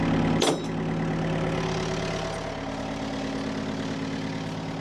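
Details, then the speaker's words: Old excavator diesel after new-year servicing, engine running high; brief knock at start then steady even smooth drone with no knocks or misses, sounds fine and happy; right-hand track a little slow; normal high idle. "got the engine running high. Sounds good."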